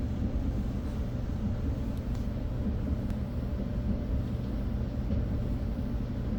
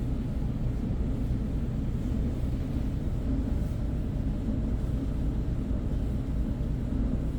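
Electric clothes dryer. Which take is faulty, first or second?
second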